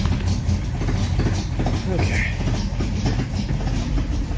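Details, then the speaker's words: Rebuilt 1953 Chevy 3800 truck after new coil, points and cleaned plugs: low lumpy uneven idle with heavy rumble, running rough from too much choke; owner also suspects timing off. "really sound very good yeah i think i got oh too much choke on it"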